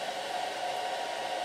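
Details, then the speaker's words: Home-made thermistor/MOSFET fan controller on an IMAX B6 charger discharging at 1.5 A: covering the inlet raises the temperature and the fan speeds up faster and faster, a steady airy rush with faint whistle; fan at high speed. "if I cover the inlet automatically the temperature goes up and you hear the fan is going faster and faster because the thermistor it's sensing that the temperature is going up and puts more current to the farm"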